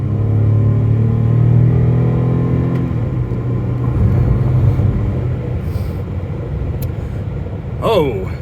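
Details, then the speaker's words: 2014 Chevrolet Impala Limited 9C1 Police Package, 142,000 miles, about 300 hp, on a test drive: the engine note climbs smoothly and evenly under hard throttle, then settles into road rumble with no knocks or misses. It sounds strong and healthy. "man 300 horsepower this thing gets up and gets out of its own way"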